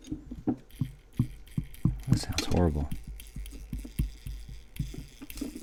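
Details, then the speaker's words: Non-working Copal model 701 flip clock with gearbox problem, missing a gear, uneven clacks three or four times a second over a rough grinding whirr, not jamming and not a lubrication issue; worn gear letting motor gear jump teeth. "but it's not jamming up now is it so let's play it back in huh look at that sounds terrible now we know it's not needing lubrication here"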